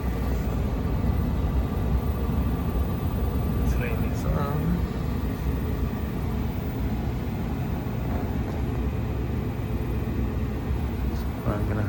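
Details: Old American Standard gas furnace on an emergency no-heat call with reported gas smell and a dizzy customer, just turned on before a combustion analysis: steady, even low roar with no pulsing, popping or flutter; burner firing cleanly.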